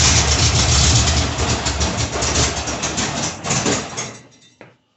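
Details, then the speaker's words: 1982 air-cooled VW Vanagon Westfalia, fuel relay refitted, fuel pump not hot-wired: engine catches and runs rough a few seconds, then dies; the fuel pump is powered only while the starter cranks, not after. "But it seems to be fuel pump's not getting energy now. It gets it when the starter goes, but it doesn't get it after."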